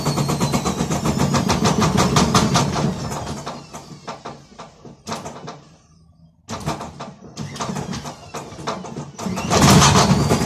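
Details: Gorenje WaveActive washing machine during spin: heavy rumbling roar with rapid thumping as it shakes and hops, easing off then returning, from broken drum bearings.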